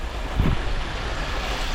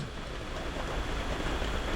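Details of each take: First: 2018 VW Jetta 1.8T that runs terribly on cold start: deep, lumpy, surging, misfire-like idle before the cam adjuster (VVT) solenoid magnet is unplugged; a failing adjuster solenoid is the fault. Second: 2018 VW Jetta 1.8T with misfires, idling after the cam adjuster (VVT) solenoid magnet was unplugged to force default timing: steady, even idle with no surging or misfires, confirming a faulty solenoid before its replacement.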